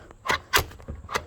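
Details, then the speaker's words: 2013 Ford Explorer second-row bucket seat whose latch sticks and won't release: handle pulled hard until the latch clicks open; several sharp clicks and clacks as it snaps free; repeated pulls stop it sticking. "Well, the fix for that is to pull really hard on this handle, and you're going to listen for a click."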